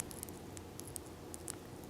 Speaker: And it's actually grinding underneath of this wrap. So this arrow is trash.